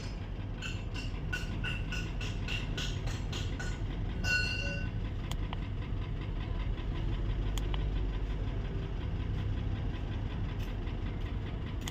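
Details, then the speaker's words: Mercedes-Benz GL450 V8 at idle, smoke from exhaust; scanner shows random multiple misfire, cylinders 2, 7 and 4, ignition coil F and intake runner codes: uneven stumbling idle with irregular low thumps and sharp ticks. "The car is rustling, misfiring. So let's read the fourth code. So as you can see, guys, we have random multiple cylinder misfiring."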